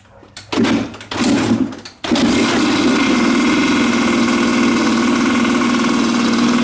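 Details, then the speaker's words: Original 25-year-old factory carburetor on a Kawasaki dirt bike, fuel-consumption test: a few stuttering catches, then a steady buzzy, heavy run; runs extremely rich compared with the new genuine Keihin PWK and Chinese copy, owner blames a worn needle/needle jet. "But in regards to the carburetors, I think this confirms my original carburetor runs extremely rich compared to both of the new ones."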